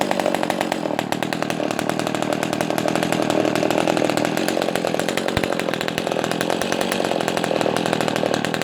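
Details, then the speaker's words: Echo 280E small chainsaw, first startup after about 10 years unused: crisp, fast two-stroke buzz holding a steady high speed with no misfire or surging; running cleanly, idles well without stalling. "she sounds good I love that sound it's a nice deep sound for a small small saw yeah she runs good not bad for not running this whole time"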